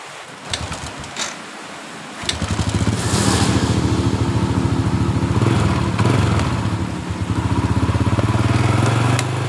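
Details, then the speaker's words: 2007 Honda Supra Fit New after rebuild, previously clattering around the cylinder head, usually the cam chain: fires up into an even single-cylinder putter with no clatter; running smooth. "Ya, suaranya sudah halus."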